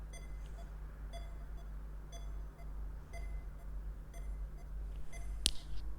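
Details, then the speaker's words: DIY real-time temperature monitoring and alarm system, sensor heated to about 32.8 °C and cooling toward 31: short high beeps repeating about twice a second over low room hum; over-temperature alarm beeping. "Ini alarmnya bunyi ya, kalau kita dengarkan suaranya."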